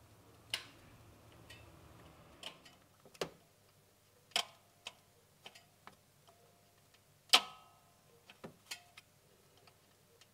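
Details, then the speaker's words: Toyota Aygo (Citroën C1/Peugeot 107) creaky noisy clutch: with clutch cable disconnected, release arm worked by hand gives sharp irregular clicks; release (thrust) bearing rough with play, noise thought to be from gearbox/arm. "so i think most of the noise is coming from in the gearbox or you know associated with this arm so there's a wee bit of play in the thrust burn and it is rough just moving it back forward with my fingers there"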